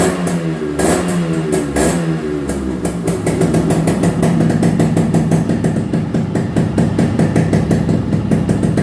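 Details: Restored Yamaha RX two-stroke, full engine rebuild and repaint on customer's bike: crisp crackle settling to even idle, then clean blips up and back down; steady and healthy.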